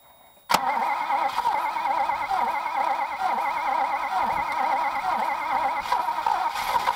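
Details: Alfa Romeo Montreal V8, first test run after head gasket, valve stem seal and Spica pump pulley bearing repairs: fires instantly, busy idle with pitch wavering gently as it warms, running smoothly and healthy. Normal first start.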